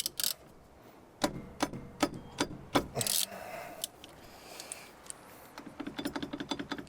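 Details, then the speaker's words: Nissan Patrol Y60 GQ before fitting anti-noise brake pad shims: irregular bursts of light metallic clicks and chatter from pads loose in the calipers, occurring on road at any speed until slowed to 20 km/h. "le bruit rev voilà c'est ça qui se déclenchait donc sur route à n'importe quelle vitesse n'importe quelle vitesse ça se déclenchait sur route"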